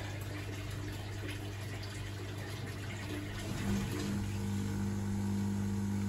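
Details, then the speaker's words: Dyson Contrarotator CR01 washing machine under restoration, element not heating, fault F13 shown: steady low pump hum with swishing water and faint rising gurgle as the drain pump empties the drum after the fault shutdown. "So it's draining out for the fault, but I don't contrary old machine. Don't know where to go with this. The pump is pumping. Incessantly."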